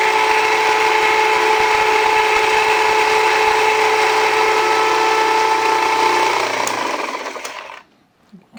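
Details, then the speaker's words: Jiffy Precision Mill electric steel burr grinder grinding einkorn, started before adding grain: steady high motor whine with a dense gritty grind that thins and fades as the grain runs out, working normally. "So it's going to be a little noisy. Here we go."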